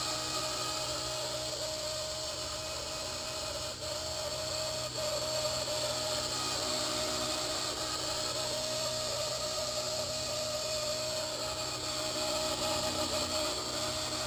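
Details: Blade 130x electric helicopter, under a month old with less than one hour of flight time: a continuous high, steady screech over the motor hum, sporadic at first and now constant; owner suspects the main shaft bearing but doubts it.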